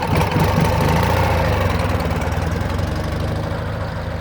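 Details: 2009 Ural Sahara Limited Edition 2WD sidecar, carbureted twin, under 9,000 km, kick-started without enrichment shortly after running, chilly day: steady low lumpy thump settling into idle, even beat, no tapping or grinding; healthy.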